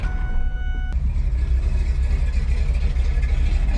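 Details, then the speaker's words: F150 idling after three weeks unused, slightly rough, likely carburetor deposits; exhaust now exits straight out the tailpipe with no ticking or puffing at the header; header exhaust leak repaired, no leak. "no exhaustly coming straight out the exhaust"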